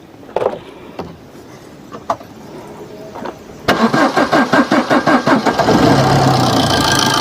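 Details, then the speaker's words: Maruti Suzuki Swift diesel, about 250,000 km, started after timing chain and loose tensioner replacement with fresh oil, filter and coolant; brief crank, catches cleanly, smooth even idle with no chain rattle; normal start and idle. "Okay വണ്ടി ഇപ്പോൾ start ആയിട്ടുണ്ട് വലിയ കുഴപ്പമൊന്നുമില്ല sound ഒക്കെ normal ആണ്"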